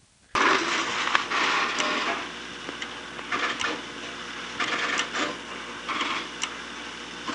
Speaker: Here's the sound of the ring back circuit alternating two frequencies, each of which is sent down the ring side of the line.